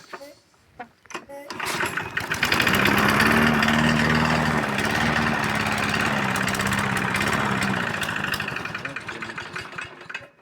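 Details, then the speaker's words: MTD lawn mower with Briggs & Stratton 675 series engine barely starts, backfires through the carburetor and sometimes the exhaust, then stalls; it catches, runs unevenly for several seconds with wavering speed, then dies at idle. "Вітаю всіх газовакосарка перестала заводитись і глохне на холостих"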